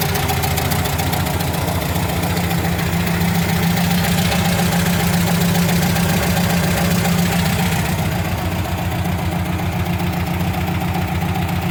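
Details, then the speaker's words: 1977 VW Brasília air-cooled engine idling with a quick, fairly even valve tapping on one side that can resemble a connecting rod knock; described as loose valve springs and sunk valves in the head. "o que acontece com ela é o seguinte a gente tem um barulho de válvula batendo do lado de cá que dependendo da hora até parece ser uma uma biela"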